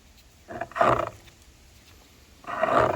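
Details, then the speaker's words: Torque converter on a 2000 Toyota Camry A140E transaxle turned by hand gives two harsh, gritty grinding bursts instead of the smooth oil-sloshing of a good one; internal breakage possibly shedding metal into the transaxle is suspected. "this the thing is is bad that thing is bad I'm hoping it's just the torque better"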